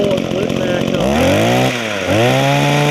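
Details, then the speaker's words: Echo two-stroke hedge trimmer after a Walbro carburetor rebuild with new primer bulb and fuel hoses: revs up, dips briefly, then picks up with a clean, steady buzz; owner says it could run better but will do the job; normal running. "okay but like I say it could run better it will do the job"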